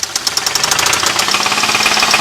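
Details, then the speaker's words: Sharp, rapid metallic knocking at roughly nine raps a second over the running engine, growing more pronounced as rpm rises. This indicates worn crankshaft bearings; stop driving and have it towed, or the engine may be ruined. "那就是轴瓦响。它有个特点啊，车子转速越快，这声音就越明显。"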